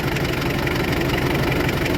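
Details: Toyota forklift that wouldn't start, running after battery check (12 V, 13.8–14 V charging on accelerator): steady, even idle with smooth low rumble and no knocks or misses.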